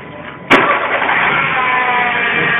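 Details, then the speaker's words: Citroën C3 at start and idle, before repair: a steady high whine like an electric motor rides over the idle, caused by worn accessory belt rollers (two, idler and manual tensioner); fix is replacing the belt and rollers. "como podéis observar y escuchar, suena como si fuera un motor eléctrico. Bien, eso es debido a los rodillos que lleva la correa de accesorio."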